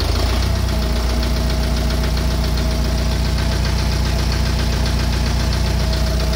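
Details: Engine at steady idle with a regular knock about three to four per second riding over the engine note; unexplained engine knock at idle.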